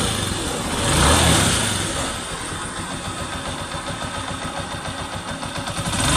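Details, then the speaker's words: Honda TMX 125 motorcycle engine after a rebuild and upgrade for repeated needle bearing failures revs briefly and settles to a quiet, even putter with no bottom-end rattle or knock. "Okay na quality tahimik na tahimik ang makina parang Wang nangyari"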